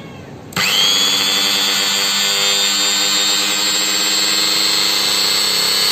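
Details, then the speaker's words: Magtek angle grinder reassembled after repairing rough running and suspected burning, blamed on a failed bearing; test run spins up to a steady, even high whine with no rattle or roughness; normal after repair. "Di sini mesin gerindanya telah selesai kita pasang. Kita tes dan kita dengarkan bunyinya, apakah ada kelainan."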